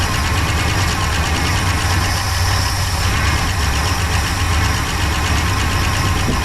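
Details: 1966 Pontiac Grand Prix, 389 CI, automatic, barn find unused about 30 years, first start on slight throttle with little fuel: low, lumpy exhaust with uneven pulse and occasional stumble; chewed spark plug wires; fuel pump not pulling.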